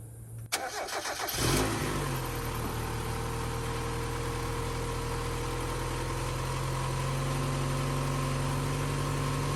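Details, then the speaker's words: Mazda MX-5 1.6, 118,000 miles, started from freezing cold before compression test: brief crank then steady even cold idle with no clear knock, while blue smoke comes from the exhaust, pointing to oil burning. "But before we do that, what I did is we're filling like a little cold start on the engine and showing the blue smoke coming out the exhaust. Got it both on one shot, so you can hear the engine from cold and how it sounds, and also the smoke."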